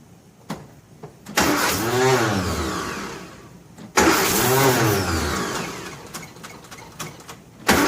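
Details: 1957 Nash Metropolitan barn find, sitting many years, manual choke: repeated cranking that whirs up and fades with no firing at all; crank no-start from crossed spark plug wires.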